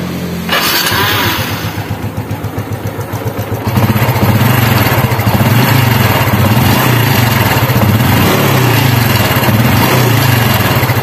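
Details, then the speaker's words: Honda Revo Absolute/Fi small motorcycle engine starting and idling with a loose, fast "klotok kletrek" top-end clatter from a worn cam chain, before cam chain and roller replacement. "bisa kita dengar ya suaranya Klotok kletrek itu ya"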